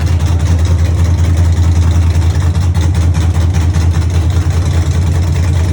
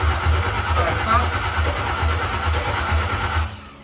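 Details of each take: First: Cammed 5.3 V8 truck (Texas Speed 232/234 cam, 110 LSA) at first start after fixing ground and wiring issues; deep loping idle, strong low rumble and uneven chop. Normal cammed idle. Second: Dropped Chevy truck build, cammed 5.3 V8, first start attempt late at night: starter churns about two pulses a second for over three seconds without catching; crank no start, no power to fuel pump, later traced to ground issues and missing wiring connections.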